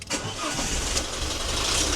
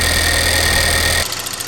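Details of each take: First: Alfa Romeo Giulietta Cloverleaf petrol engine on a warm-up with engine flush, heater on maximum: catches and fast-idles with a light rapid clatter; had oil pressure warnings and scorched oil, worn exhaust variator suspected. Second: Alfa Romeo Giulietta Cloverleaf, first run after purchase: even idle with light, fast ticking from the loud high-pressure fuel pump, considered normal; brief ticking possibly from variable valve timing solenoids as the engine drops off.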